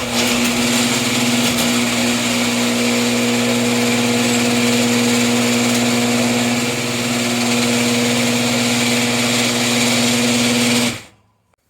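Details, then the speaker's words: Older Genie IntelliCode screw drive garage door opener, before lubrication: loud, steady buzzing rattle with a grating edge for the whole run, stopping cleanly; dry screw drive track needing Genie lubricant, much quieter after one bead applied. "So I'm going to hit the button so you can hear what it sounds like before, which is really loud."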